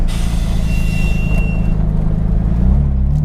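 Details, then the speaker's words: Nissan R32 Skyline drift car, recorded from the interior while driving. A steady high whistle rides over a loud low engine drone, then fades; it is the brake whistle this car normally makes. "I actually like the humming, if you can hear the whistle, that's a brake whistle. I love having that on my cars."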